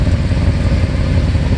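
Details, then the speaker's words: 1988 Mercedes 560SEC V8 at idle: loud, rough low puffing with a clattery edge; exhaust appears blown, suspected leaking at a pipe junction underneath (aftermarket catalytic converters fitted); cause not confirmed. "Exhaust needs attention, of course, because it's blown somewhere. Let's take a look. Okay, I see that you have a pipe. I think it's leaking right in the junction there somewhere."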